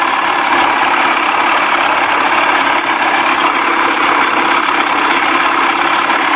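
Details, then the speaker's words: 1979 Evinrude 55 hp outboard fully warmed up, with a hesitation, poor idle and hard starting under investigation: steady, even idle with a smooth buzzy exhaust note and no misses or surging; normal warm idle. "that's why it's idling better not not smoking hot and that's the best it sounded all day idly"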